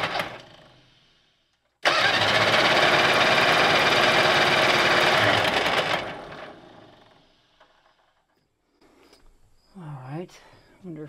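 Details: Gasoline pony motor (starter engine) of a 1950s Caterpillar 955 Traxcavator, freshly fueled and oiled, gas valve still shut off: starter spins it steadily for about four seconds with no firing; cranks but won't start.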